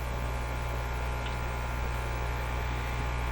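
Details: 1935 Rogers 7R622 six-tube radio powered up slowly on reduced voltage, now at 80V: constant low hum with no program audible, unaffected by volume or an antenna finger test; mains hum of unknown cause.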